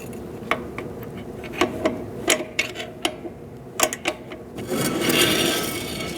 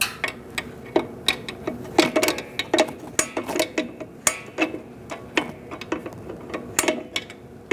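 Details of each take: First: 2004-2012 Chevrolet Colorado rear drum brake after wheel cylinder replacement, adjusting shoes, wheel turned by hand: irregular scrapes and rubs from the rusty drum as shoes drag lightly; brake shoe drag during adjustment. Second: 2004-2012 Chevrolet Colorado rear drum brake being adjusted after wheel cylinder replacement, wheel turned by hand: crisp evenly spaced clicks two or three per second; self-adjuster ratcheting properly, installed the right way.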